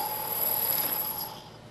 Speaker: I'll show you what that looks like and sounds like if I try to take a pass this part you can hear the noise the chatter